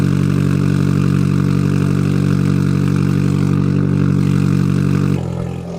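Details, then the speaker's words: Car raised in the air, cold start right after fitting an ISR Performance Series II EP single-tip exhaust: loud, deep, even drone with no ticking or puffing; owner hopes the loudness is a cold-start thing; no exhaust leaks. "I'm just hoping this is like a cold start thing and it all go down because this would mean that muffler actually did a lot well this is sound like it hasn't any exhaust leaks"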